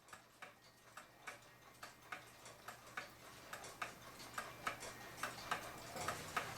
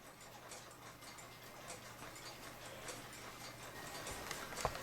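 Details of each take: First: Waterbury pendulum parlor/kitchen clock, level in its case: tick and tock unevenly spaced, clock out of beat; pendulum rocks, suspected weak flat of the crutch wire, wire then bent over to adjust. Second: Waterbury parlor/kitchen pendulum clock with storm glass and thermometer, strike missing parts; faint, even tick-tock at a steady pace under soft room hiss, equally spaced beats, so the clock is in beat.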